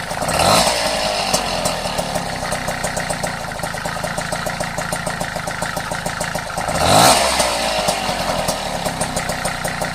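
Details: Vespa Ciao (Piaggio) moped with 43 cc Autisa kit: fast light ticking about four per second over two-stroke idle between blips, gone when riding off; top-end tick, cause unclear.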